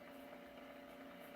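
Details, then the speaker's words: RCA 811K console radio on first power-up, brought up slowly to 81 volts. A steady low speaker buzz with a higher overtone and no station audio; the set hums but is not yet receiving. "okay so I have high voltage because I'm hearing buzzing from the speaker and I'm in 81 volts"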